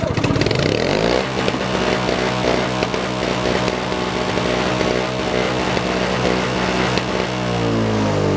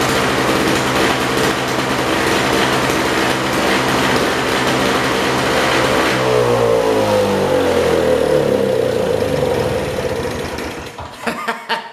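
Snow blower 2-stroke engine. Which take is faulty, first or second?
second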